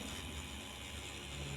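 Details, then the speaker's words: Kemei hair clipper after repair for overly loud noise, motor shimmed on both sides: even, low motor buzz holding steady without rattle or harshness; runs smooth and quiet, no longer loud as before. "halus ya Enggak keras kayak tadi oke langsung kita pasang lagi tutup dinamonya"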